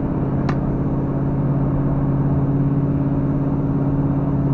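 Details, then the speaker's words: 1972 Chevrolet El Camino V8 climbing uphill under load: steady, even low drone with no pinging or rattle; clean combustion, so timing could be advanced since the engine feels doggy. "well it's definitely not pinging right now no so maybe i can walk the timing in i don't hear it all that's putting a load on it i don't hear it at all"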